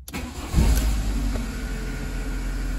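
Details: VW Polo 6N2 after fitting a new catalytic converter to the exhaust manifold: quick crank, clean start into a steady, deep idle with no puffing or ticking at the joint; normal start and idle.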